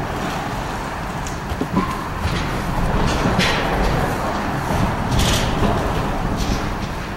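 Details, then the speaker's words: 2006–2008 Impala SS front wheel: irregular metallic clicking, knocking and banging over road rumble; tie rod ends checked and found worn out, to be replaced along with hub bearing. "It's like metal banging. So that's usually the ball joints or the tie rods. In our case, I checked it and the tie rods, they're gone, and you'll see them."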